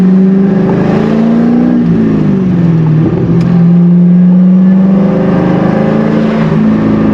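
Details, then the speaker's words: C5 Corvette, manual, hot day, pulling away from a stop after the intake was reinstalled; deep steady note climbing smoothly, no misses or knocks; owner says it's peppy and running good. "the car is running fine now that i um now that i did that put the intake back on it's peppy it's running good"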